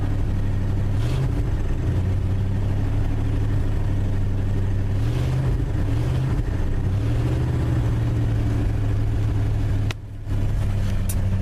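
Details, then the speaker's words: Cold start on a chilly morning, the last of three ('96 Tahoe, '97 F150, '74 F250), started in neutral; a smooth steady idle whose revs gently rise and fall as it warms, wind in background. Normal running after cold start. "Well, there you go. 3 successful cold starts on a cold morning."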